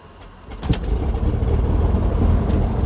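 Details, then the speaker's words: Beechcraft G58 Baron, left engine start with mixture rich and fuel pump cycled low to high; a few starter ticks, then catches into a steady low rumble without overrevving, oil pressure up, idle pulled to 1,000 rpm; normal engine start. "Nice and easy start. We don't let it over rev. Oil pressure comes up, we're good."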